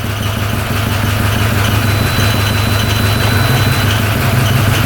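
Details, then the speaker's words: 2013 Arctic Cat Wildcat 1000cc twin UTV idling: a steady low idle that sags and roughens while the intake is sprayed. Air leak at the intake. "look at that going way down when you spray that yeah there's an air leak right there"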